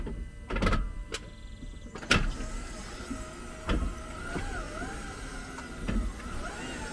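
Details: 2022 Jeep 4xe: short wavering high squeaks over slow clunks and creaks when reversing and braking or shifting into P; earlier only on rough asphalt; dealer cleaned brakes without fixing it; source unknown.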